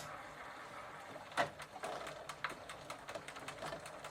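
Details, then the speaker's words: Sturmey Archer 3-speed hub on a Gazelle bicycle, after spraying with WD-40 and shifted to the third gear position: light, crisp, loosely uneven pawl ticks with no grinding. The pawls are catching normally. "And now I can hear some of the palls making a clicking"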